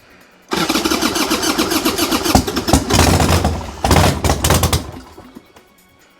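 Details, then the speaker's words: 1990 Harley-Davidson Sportster 1200 after 10 years stored, new plugs, started with starter fluid: ragged firing for about four seconds then dies to silence, won't keep running; lights went out, battery dropped from 90% to 60%. "oh so close uhoh what happened I think it blew up"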